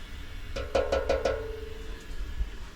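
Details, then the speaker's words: Expansion vessel tapped on a leaking boiler job: four quick light taps give a slightly hollow ring, how a correctly charged vessel should sound. "a bit Hollow"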